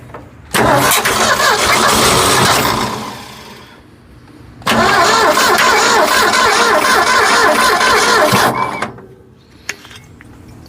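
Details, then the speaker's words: Ford F100, previously seized engine, very old fuel: cranks, catches and runs roughly a few seconds on gas poured into the carburetor, then dies; fuel pump not delivering fuel from the tank. "okay so I think what I'll do I know the fuel pump's not pumping I think I'll start removing lines"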